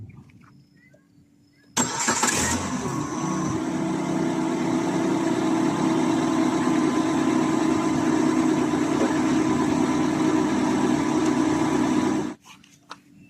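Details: Car jump-started with a portable power bank jump starter (red to positive, black to negative): a brief crank, then a clean catch and a smooth, even idle for about ten seconds before shutting off. It is a healthy start.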